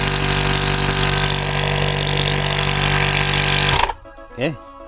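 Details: High-pressure multi-stage compressor on a troubleshooting test run, with first-to-second stage pressure fairly high and that stage hot: a loud, steady pumping roar at about four even strokes a second, then it stops; normal running.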